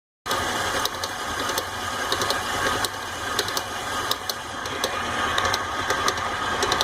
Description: Throughout the process you can hear the clicking noise this mixer makes. KitchenAid acknowledges the noise but there's nothing like hearing it for yourself to see if it is something you can live with.